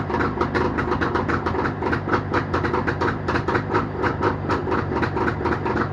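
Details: Jawa motorcycle two-stroke engine started after repair, with quick, even popping at a steady speed and no knocks or misses; normal running.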